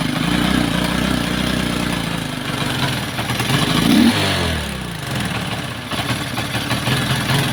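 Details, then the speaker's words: Kawasaki Boxer converted to a Lifan 110 4-pin CDI done incompletely: rough, uneven putting that stumbles, sags and nearly dies before catching, running like a horse; misfire from incorrect CDI conversion. "kawas boxer mga idol Nagpalit po sila ng 4 pin na cdi Tapos Ito po yung naging andar may kuryente siya mga idol pero Ito po yung andar"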